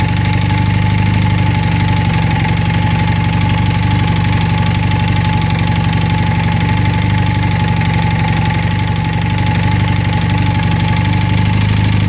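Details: 1980 Honda CM400T twin at steady idle: dull knock repeating about four times a second over the engine drone; mechanical knocking, cause unclear.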